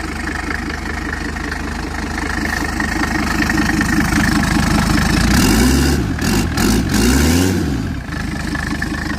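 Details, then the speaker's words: Classic Mercedes-Benz W123 with a newly swapped-in turbo diesel engine, on its very first start, with no coolant yet, as a leak check: even diesel clatter at idle, about 2.5 beats a second, with no misses or knocks; purrs, a healthy idle. "but this is going to be our very first start with a new turbo diesel engine in it so here we go listen to that kitty purr"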